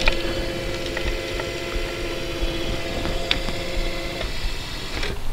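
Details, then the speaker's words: Rascal 600T three-wheel electric mobility scooter: steady, even seat lift motor hum for about four seconds that stops cleanly as the lift reaches full 5-inch elevation; healthy operation. "So now the seat lift is elevated all the way 5 inches."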